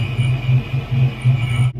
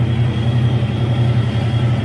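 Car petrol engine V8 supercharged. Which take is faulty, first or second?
first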